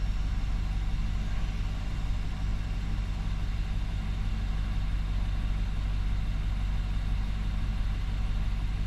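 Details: 2019 Nissan Armada, warm at 71°C coolant, after throttle body cleaning and idle air volume relearn with scan tool: steady, even low rumble with smooth beat, no misses, surges or knocks; idling smooth at correct speed.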